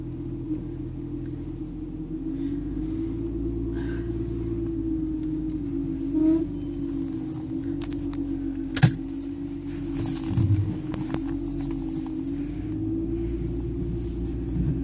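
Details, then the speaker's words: 2002 BMW 325i (E46) pulling forward after sitting 5–9 hours, engine idling: creaking, groaning pops about once a second from the brakes, stopping after about 10 seconds of braking and moving. Cause not confirmed. "and that's the noise it makes and then the noise will stop in about 10 seconds or so of me applying the brakes and moving but that is a noise that it makes"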